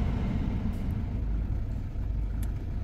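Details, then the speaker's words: Cheap Audi with gearbox fault (selects all gears but won't drive off, no warning lights): steady even low idle rumble with a little rev, no knocks, misses or hunting; ticks over lovely. "as you can see it ticks over lovely little rev there"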